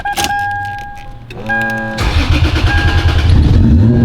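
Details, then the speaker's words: Turbo Lexus IS300 first start after build, no intercooler fitted yet; recorded inside the car, clean start, crisp idle and smooth even revs; normal revving, healthy. "Oh, that sounds so good inside the car. God dang."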